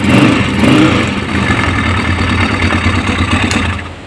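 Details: Honda CG125 single-cylinder, started to check the oil pump after fault fixed: blips then settles into a smooth, steady idle with no knocks or rattles; oil now circulating and returning, engine healthy.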